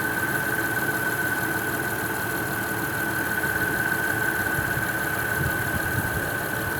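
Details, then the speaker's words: Honda Odyssey/Caravan after DIY splice repair of a rusted leaking rear AC line, recharging at idle with gauge held at 25–50: a thin constant whine over steady idle as the compressor engages and runs while the system fills. "you will hear the compressor engage as soon as it starts to fill up"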